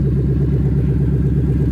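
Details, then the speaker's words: 2000 Ford Mustang GT with a 4.6 V8 from a Crown Victoria, new plugs, coils and fluids, fuel pump reconnected: deep, even low rumble with a steady pulse and no knocks or ticks; normal idle. "that thing just purrs man wow"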